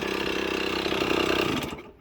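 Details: Yamaha GT80 (KE102) two-stroke during a build, with a tach drive and clear oil lines from tank to intake: crisp, even buzzy idle with no misses, then it shuts off; the engine sounds healthy.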